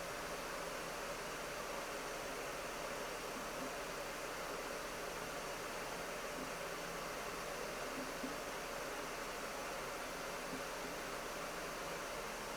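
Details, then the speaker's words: 2025 HP Omen Max 16 with RTX 5080 in max fans mode at 6000 RPM, about 56–57 dB with the GPU near 160 W: a constant airy rush with no rattle, tick or pitch wobble. Normal cooling fans at maximum speed. "Okay, so again, pretty typical, still about 56 to 57 decibels of fan noise here in the max fans mode."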